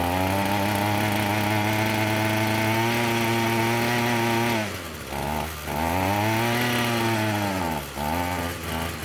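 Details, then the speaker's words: Echo SRM-210 two-stroke string trimmer after new purge bulb, choke on: runs high then sags toward stalling as throttle drops; won't idle because idle is set too low. "So that's a good start. It won't run on idle. Looks like if I manually hold that idle up a little bit, it'll stay running."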